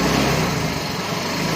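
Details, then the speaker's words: Yamaha Fino 125 FI scooter, rough and down on power until warm: revving single sounds harsh and clattery with delayed throttle response; head removal found loose valve adjustment, excess clearance blamed on oil. "Nah, ini setelah kita bongkar kop headnya, kita ngelihat ini ada bagian setelan klep yang kendor nih."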